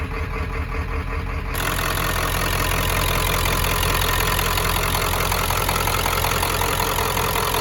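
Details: 1995 Ford 7.3 Powerstroke diesel, made roadworthy after sitting about 10 years: catches after a second and settles into a steady, even diesel clatter with no misses or knocks. Healthy idle.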